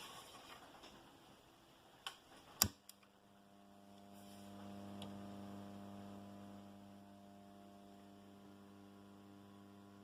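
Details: Condor RM820S radio-cassette recorder after repair: a switch click, then steady low mains hum at even pitch with no music, hum entering the audio stage; tested with two parallel electrolytic capacitors (400) fitted, long leads suspected.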